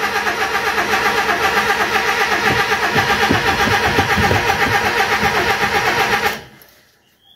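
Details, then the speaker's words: Mazda B1800 carburetor pickup, after 12 months parked: steady starter cranking about four beats a second for six seconds, no firing; cranks but won't start. "I literally put in 20 L of fuel and it will not start"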